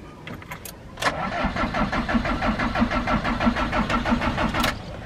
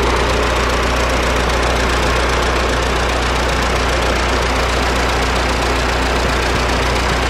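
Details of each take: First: Diesel camper van broken down in Greece, cranked at rest after preheating: starter turns evenly, about three turns a second, for nearly four seconds and never fires. Owner notes the fuel pump/primer stays hard; fuel shutoff solenoid unpowered. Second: Diesel camper van after pulling over on a climb and hand-pumping the fuel: continuous steady clatter with a constant drone, no stumbling or dropouts. A pinched fuel primer bulb had starved the engine of diesel; it's reshaped and running normally.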